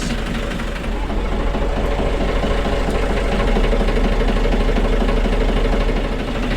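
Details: Narrowboat Grey Wagtail diesel engine after fuel filter and sedimentation separator work, with suspected diesel bug. Steady, even idle with a regular low thump and no hunting or misfire. The separator is dry, the fuel valve no longer leaks, and an injector pipe leak was tightened.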